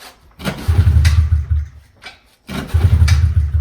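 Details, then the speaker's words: Pit bike with a fuel issue, fuel pouring from carb overflow: two kicks, each a short burst of chugging that dies without catching; flooded carburetor prevents starting, carb to be removed and cleaned. "So it started up there, which kind of was weird, but now it's doing it again. So that was obviously just a fluke. Yeah, see? Now the fuel starts coming out. And it also wants to start still. Something's wrong."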